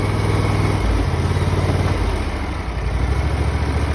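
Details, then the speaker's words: Simplicity 20 hp riding mower, Briggs and Stratton engine, 754 hours, after starter replacement: even low steady idle thrum, slight speed dip, no knocks or misses; healthy engine. "Listen to that thing purr."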